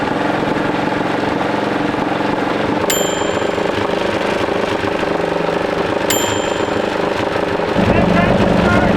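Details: 1941 Caterpillar dozer, sat for years: busy uneven chugging of the pony motor turning the main diesel, odd firing pops but never catches; they suspect insufficient fuel, maybe plugged fuel filters.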